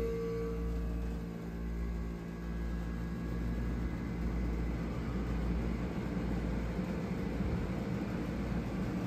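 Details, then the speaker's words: Vintage Philco Noiseless Nightlight room air conditioner at startup: steady low hum with even airy rush, no knocks or rattles; already blowing cold, shakes a little at start then quiets; running normally. "It's already cold. Shakes a little on startup, but I mean, it quiets down."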